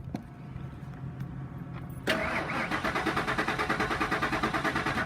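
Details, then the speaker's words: 2000 Ford F-350 XL dump truck with suspected bad fuel pump: starter cranks steadily about three beats a second but never catches. It earlier ran only seconds on starting fluid, and no knocking was heard. Crank, no start. "Okay, so right now it's just turning over. Spray it with a little starting fluid and see what it says. I did get it to start earlier. It starts for a few seconds and cuts off."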